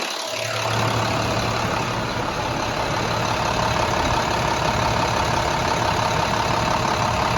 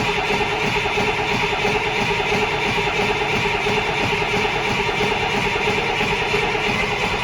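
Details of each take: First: Rebuilt International DT466E diesel after repair, hood back on: steady, even idle with a smooth low beat, no knocks or ticks; not overheating, oil pressure holds 35–40 psi; normal diesel idle. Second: Rebuilt International DT466E diesel, first crank after rebuild with oil system still dry: steady cranking, no firing catching; first start didn't sound right; crank, no start.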